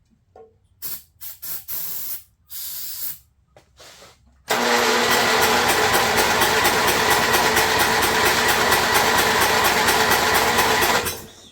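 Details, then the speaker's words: Snapper rear engine rider, Briggs 12 HP engine abandoned for years, plug regapped to 30 thou, ignition on, most safeties disconnected: fast even starter whirring with no firing; owner suspects stuck carburetor needle or lost spark. "Now then, because it wasn't even trying to bust with the little hit of starting fluid, so that was weird."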